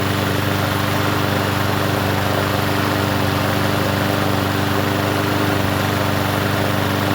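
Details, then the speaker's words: Troy-Bilt push mower engine: runs at steady speed with a faint rhythmic wobble; uneven running, suspected carburetor issue that needs cleaning, unconfirmed. "Well, let's see if it does anything now. It almost sounds like a carb issue."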